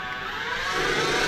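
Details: Denford Triac CNC with Mach3 conversion and Panasonic 1.5 kW servo spindle motor: steady whine rising in pitch with spindle speed, rough edge underneath, upper bearing support gets very hot; bearings suspected, unconfirmed.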